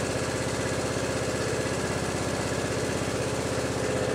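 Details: Briggs & Stratton Intek riding mower engine after repair of a broken camshaft decompression (compression release) cam. The single cylinder thumps along at an even, quick beat with no misses or knocks, running normally.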